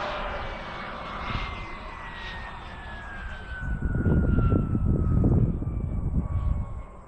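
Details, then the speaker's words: RC jet with turbine engine in flight before the engine quit, whine falling away then roar swelling and sagging unevenly; spotter calls out surging. "Surging? Yeah, did you hear that? Yeah, yeah. Did you hear that?"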